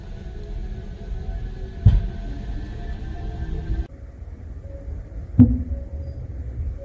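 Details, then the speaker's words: 4th-generation Kia Sorento hybrid: dull thuds/clunks from the rear underbody when pulling away in first or reversing after a stop and releasing the brake; attributed to a rear brake caliper problem, not confirmed. "다음은 하이브리드 밑에 하부에서 덩 소리, 퉁 소리, 쿵 소리입니다."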